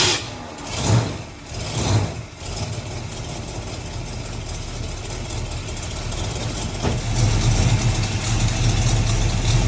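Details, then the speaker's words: Old car's V8 started on a Trekure TK50 jump starter in forced-start mode; a couple of cranking surges, then it catches and settles into a steady deep idle, left running to warm to operating temperature. "So I'm actually gonna let this old car run for a little bit, just get warmed up, the operating temperature."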